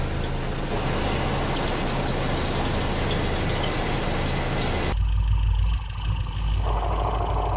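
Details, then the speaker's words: Clutch release bearing noise at idle: a faint whirring hum with the pedal down that stops when the clutch is released. The bearing contacts the pressure plate, and its bearing dries out. "Y esto es por el collarín Que al momento que el pedal está abajo el collarín hace contacto con el plato opresor y se escucha cuando tú sueltas el clutch se deja de escuchar"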